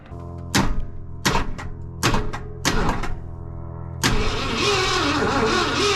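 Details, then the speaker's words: Wrecked 1974 Ford F100 parked for several years, first start attempt: four heavy uneven clunking cranks then a rough churn; turning over poorly, cause unknown. "Alright, obviously it doesn't sound overly healthy, so we'll just see what happens here."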